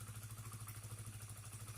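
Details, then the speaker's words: Honda CBR that stalled and hesitated while riding, now idling cleanly and steadily after repair. Fuel pump and filter area cleaned, pressure steady at 40 psi; faulty spark plug cap temporarily fixed with wire strands. "Yang jelas, motornya sekarang baik-baik saja, tidak mogok lagi."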